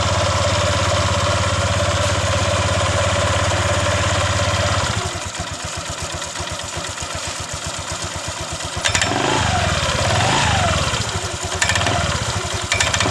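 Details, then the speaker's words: Honda Vario 125 LED scooter, lacking power with harsh CVT noise, engine running: steady idle then rough rattly grinding from belt drive on pull-away; mechanic suspects worn CVT rollers and roller housing. "saya memprediksi ini terjadi masalah pada rulernya ini pun terjadi masalah pada panbelnya"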